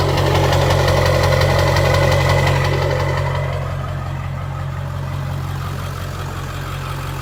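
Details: 2001 Ford Excursion XLT 7.3L Powerstroke diesel, 4WD, 207k miles, 5" turbo-back exhaust, cold air intake, mild tow tune; heard from outside at idle, steady low even clatter, no misses or knocks, no blow-by; normal warm idle.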